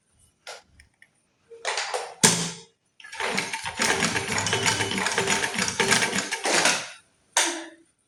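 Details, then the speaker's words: Merritt sewing machine brought in for excessive noise, checked after servicing and mounted on its stand: stop-start sewing with an even, light whir and no knocking or rattles; runs smoothly like a new machine. "சூப்பரா தச்சது. எந்த பிரச்சனை இல்லை சவுண்டும் நல்லா ஸ்மூத்தாவே போச்சு. Sound எதுவும் வரல."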